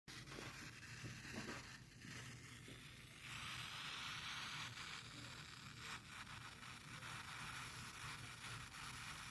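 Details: Behringer Truth B2031A powered studio monitor giving a steady, quiet white-noise hiss with faint crackle and low hum; owner wonders whether RFI is the cause; cause unknown.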